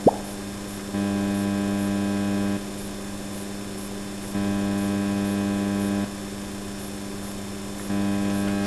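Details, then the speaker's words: Onkyo TX-SR806 AV receiver on the bench: steady low buzzing hum switching on and off; noise enters both after and before the volume control, drops but not fully when muted or when changing input. "So it looks like there is a baseline noise coming from after the volume control. But there also is some noise coming from before the volume control which gets amplified by the volume control itself."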